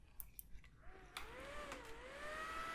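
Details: Clicks, then a loud fan whine that climbs and holds high with no beep: a PCIe-powered graphics card with its 6-pin power cable disconnected runs its fan at full speed, and the PC won't POST or show a display.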